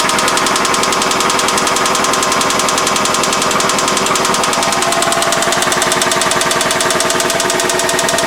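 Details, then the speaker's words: Four-cylinder engine with VVT-i, long-term clanker after oil pickup and screen replacement and metal filings in pan, idling around normal speed with hard metallic clanking of about 87 knocks a minute; bearings gone, terminal death rattle. "Oh man, that's not good. Yeah, that would be a death rattle right there."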